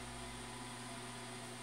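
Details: Newly bought automatic egg incubator on its first live test, still warming up; quiet smooth fan hum with a constant tone and no ticks or wobble, running fine.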